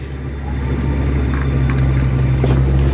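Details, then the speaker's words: 6 kg Standard top-load washing machine after gearbox replacement, previously noisy even without water or clothes: smooth steady low hum, no grinding or knocking; gearbox now quiet. "Hindi maingay walang ingay Ang gearbox to hindi na maingay"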